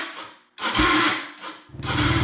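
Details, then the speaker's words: Yamaha Raptor 250 ATV after clutch rebuild, in neutral with choke on: harsh grinding bursts with chattering low thump during cranking; bad starter suspected, starter clutch also doubted. Starter grinding noise. "we do have a starter problem looks like i'm gonna have to buy another starter for it the starter sounds like garbage"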